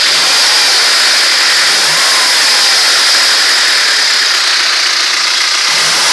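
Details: Carbureted ZMZ-406 engine running loudly with a dull, fairly even knock near four per second over the noise; suspicious knock, source not yet pinned down.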